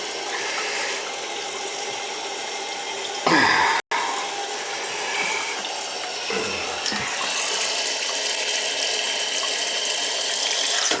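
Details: Toilet tank refilling after fill valve replacement and adjustment, high water pressure: steady smooth hiss with no banging or hammering.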